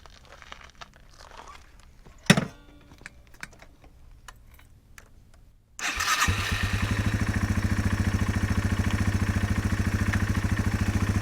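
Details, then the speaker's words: Yamaha TW200 dual-sport single-cylinder motorcycle: keys rattle, starts promptly and settles into a steady, even thumping idle, warm, no knocks or misfires; healthy. "Yeah, she's warm now."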